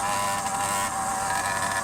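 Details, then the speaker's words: Phantom 85 two-stroke motorized bicycle engine due for rebuild: high, raspy buzz at steady pitch, very loud and harsh through the exhaust; idle unsteady even once warm. "Horrible. Horrendous. Ferocious. It sounds ferocious."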